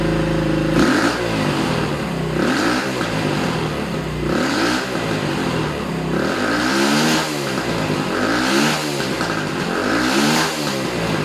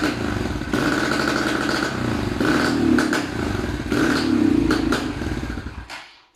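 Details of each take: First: Small Racer motorcycle after repair revving in regular blips, pulling cleanly with no coughing or stumbling. It had sneezed and wouldn't ride. Fixes: air filter washed and oiled, loose carburetor main jet and emulsion tube refitted, carburetor cleaned. Normal running. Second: Racer small motorcycle with owner complaint of hesitation and black smoke soot: engine runs unevenly and sputters through blips; carburetor fault, loose main jet in dirty carburetor, also worn spark plug and ignition checked.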